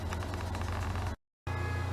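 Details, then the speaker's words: Engine after reassembly, flywheel cover refitted with three 10 mm hex screws and string removed: steady, even low hum with no knocks or rattles after a brief cut; running properly. "Sounds like it's working good to me. Yeah. It's lovely. Lovely."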